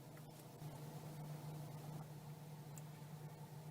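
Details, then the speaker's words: Mazda 6 2.0 petrol after a MAF sensor clean to fix rough idle and stalling, warm after a 15–20 mile drive: a quiet, even tickover with no hunting; temperature good, fuel reading down to 12.8. "It's ticking over nicely, temperature's lovely, and we're down to, at the minute, 12.8 litres per 100 miles."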